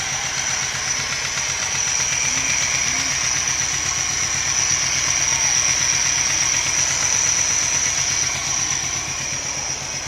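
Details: Nissan NP200 idling with a steady high whistle and quick light ticking up front; bad engine sound of unknown source, present even after one pulley in the pulley system was replaced.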